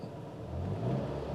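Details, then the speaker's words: Chevy HHR after timing chain replacement for codes P0016/P0017, codes cleared: low steady idle with even rumble, no ticks or rattles; engine sounds good. "nice I don't know if you guys can hear that or not but it sounds good alright I'm gonna take it for a ride"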